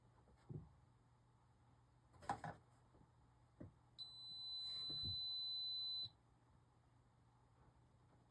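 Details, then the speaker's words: Arabian arcade game power-supply board after fitting a new LM305 regulator and replacing the bottle cap transistor: quiet room with a few clicks, then one steady high continuity beep of about two seconds, unexplained; owner unsure the LM305 was bad. "Why is that beeping?"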